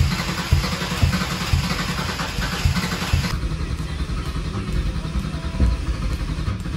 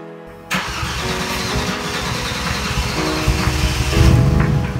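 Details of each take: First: Mercedes C32 with junkyard M104 engine, cold morning start: engine churns and stumbles unevenly, then catches and builds revs roughly; plugs 1 and 6 get drowned in a fuel-oil mixture, occasional ticking, cause not yet found. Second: Junkyard M104 engine in a Mercedes C32 after an oil change from 15W-40 to thicker Shell Helix HX3 20W-50 to cure ticking: engine fires and runs evenly, no ticking heard, music partly masking.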